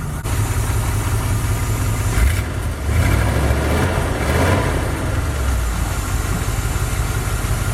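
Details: 1977 Dodge van 318 two-barrel V8 after a mileage and horsepower rebuild, air cleaner refitted: steady low rumble with an even beat and no knocks, ticks or misses; a clean idle.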